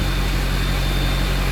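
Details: 6.0 Powerstroke after fixing a broken fan clutch wire and clearing codes for limp mode: deep, smooth idle with a constant low drone and no misses, knocks or surging; normal idle.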